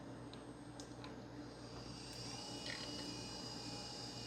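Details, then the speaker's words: Toshiba Libretto M3 laptop that won't POST, battery-terminal capacitor and a modification disconnected: faint steady whir with a thin high tone as the hard drive spins up, but nothing on screen and no drive access. "and we do hear the hard drive spin up but again no signs of life nothing on the screen and no apparent attempt to access the hard drive although it is spinning up"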